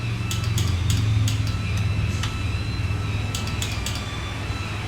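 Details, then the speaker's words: KTM 125XC two-stroke with electric start failing, starter motor removed and bench-tested grounded against the motor: steady, even electric whir with no grinding or dragging; starter spins freely, normal starter motor operation. "so we do need still to ground this uh so we can put it hold it against the motor right there oh okay so that spins just fine"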